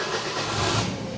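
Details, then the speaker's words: Bobcat 542B skid steer with a Ford 1.5 L engine. Idling at about 900 rpm; the wasted-spark timing light doubles it to read 1,800. Short, even, steady hum with no knocks or surging. Normal idle. "yeah so this is our idle oh 1,800 so we're idling at maybe 900 RPM I would say it probably sounds like that so sounds about right"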